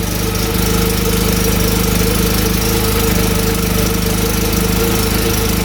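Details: 2014 Polaris RZR 800 UTV, single-cylinder, belt refitted after a noise check; runs steady and even with no rubbing or scraping left, the earlier noise gone, normal mechanical hum.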